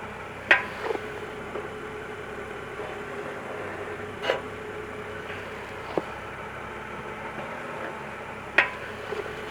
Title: 2013 BMW 535i M-sport break clicking noise